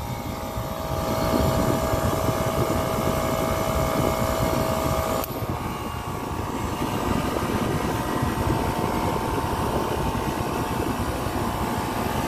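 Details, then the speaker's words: Copeland digital scroll compressor in an Emerson Liebert precision-cooling unit for critical infrastructure/data centers: a steady roar that shifts in tone and level as the unloading solenoid cycles and clicks. It sounds broken but is normal capacity modulation. "so it looks familiar only that it doesn't sound familiar so you hear that difference or the change in sound or the change in tone or the clicks it's not broken all right it's not broken this is what you call a copeland digital scroll compressor"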